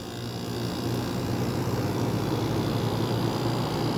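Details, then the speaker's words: Circa-1985 White-Westinghouse (WCI) 5k window air conditioner after fan released from stall: steady even low hum, fans turning freely, quiets right back down; quiet normal running. "as soon as the fans start going again it just quiets right back down the fans aren't that loud on this this is one quiet air conditioner"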